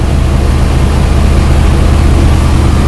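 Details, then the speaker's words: Carbureted car about 5 hours after cleaning its carburetor with starting fluid, engine ice cold: a deep, steady idle with an even low rumble and no hunting or misfire. It is idling fine. "look at that look at that it's it's still ice cold and it's idle and fine"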